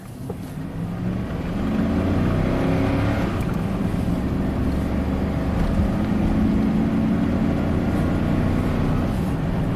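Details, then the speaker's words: 2001 GMC Sierra V8 driven on the road under load: uneven, stumbling beat over steady road drone with a felt shake; random misfires, running on maybe 6 of 8 cylinders, long-standing bank 1 misfire complaint. "Yeah, it's running at least maybe on 6 or 8 cylinders."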